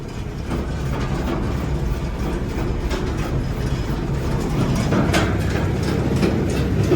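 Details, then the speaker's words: Gleaner combine at auction, separator running: heavy low rumble with an uneven rattle building as it comes up to speed; a little noisy and wobbly but turning properly, motor quiet. "noisy, but not bad. Little weeble wobbly there on that boy. But, it's all turning like it's supposed to."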